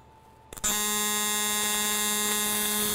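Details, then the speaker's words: AC TIG bead on aluminum; arc strikes, then steady even high buzz holds unbroken; amperage slightly low, welder says it could use a little more heat. "Could use a little more heat in that, to be honest with you."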